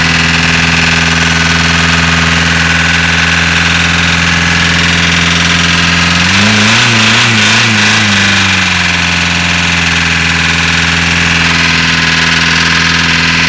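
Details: VW Caddy diesel with a hard cold start idling with an uneven, lumpy beat, pitch briefly wavering midway; one cylinder not firing. Owner suspects a valve or crank issue, cause unconfirmed.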